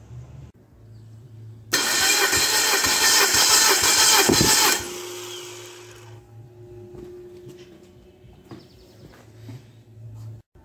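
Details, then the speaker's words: Hot ex-race Neon four-cylinder on a test stand, plugs out for a compression test: even starter cranking at about three pulses a second, each stroke alike; readings 180/180/175/180 psi, a healthy balanced short block. "now we got it good and hot we'll uh pull the plugs out and give it a compression test and see what we've got"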